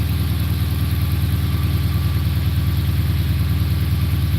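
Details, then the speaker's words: Dodge Magnum starting after its battery had been on charge for about a week: it starts right up into a steady, even, low rumble at about three beats per second with no knocks or misses, a normal healthy idle. "Start it up. Let's hear it. I mean, it starts like a normal Magnum."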